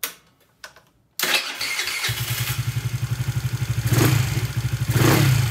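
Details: Honda Ruckus clone scooter, GY6 139QMB engine with 100cc big bore kit, running without exhaust fitted: fires on the first kick, settles to a steady even thump about three beats a second with a couple of clean revs; normal start and idle.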